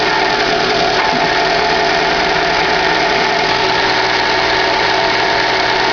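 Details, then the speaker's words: 2011 Chevrolet Classic at idle, clutch pedal released: steady bearing-like whirring hum with faint rattle, gone when clutch pressed; clutch and release bearing already replaced, noise persists, cause unknown. "Vou mostrar pra vocês aí um barulho chato que tem no Classic 2011 aí. Você aperta o pé na embreagem, o barulho some, você solta, o barulho volta."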